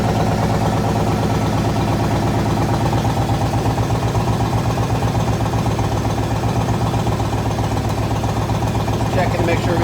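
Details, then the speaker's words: Yamaha Raider V-twin after replacing the starter cables, long troubled by starter problems: starts faster than ever, then a loping, even idle about four beats a second with no stumbles or clatter; runs smooth and healthy. "yeah it sounds real nice yeah that sounds really good that's I'm really impressed"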